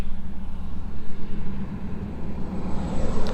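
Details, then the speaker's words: 2001 John Deere 450H LGP dozer diesel with 9,548 hours: deep, steady, even rumble with no knocks, misses or rattles; starts right up, no excessive smoke, running normally. "Engine sounds good, starts right up, no excessive smoking."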